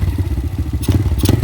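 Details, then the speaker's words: Icebear/Hellcat bike after idle screw adjustment, idling around 1200 rpm (target 1250–1600); even, regular low thumping with no stumbles; normal idle. "that's a pretty comfortable spot there so again try to keep it between that 12 1250 to 16 maybe"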